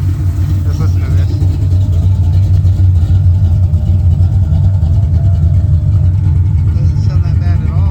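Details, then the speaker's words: V8 street car with 830 CFM carburetor, intake repaired with JB Weld, just timed at 21° initial, 36° total, running cool; deep even rumble, clean snappy revs, no misses or knocks; normal running and revving. "Sounds pretty freaking good. 21° initial, 36 total. Watch this carburetor snap. Running cool. Yes, sir. Running great."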